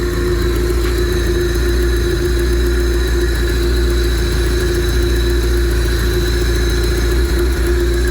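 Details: Honda EF Civic after swapping the DX chassis harness for the SI harness, running on an OBD0 ECU with a hybrid OBD0-OBD1 + OBD2 engine harness, jump-started in neutral: steady idle drone with a slightly uneven, hunting low rumble, rough idle from the unplugged idle air control valve.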